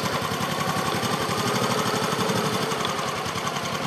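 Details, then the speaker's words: Honda Supra X motorcycle: steady, even single-cylinder idle at about four pulses a second with no clatter; engine now smooth after an earlier knocking-engine problem. Current complaint is the headlight flickering when the turn signal is used. "jadi sekarang mesinnya halus Mas Bro H Monggo nah nih sekarang mesinnya ini"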